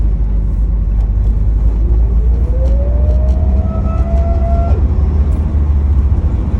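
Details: 2007 Pontiac Solstice GXP: clear whine rising in pitch as the engine pulls under acceleration and dropping away when the throttle closes; persists after replacing both belts, cause unknown; whine under acceleration.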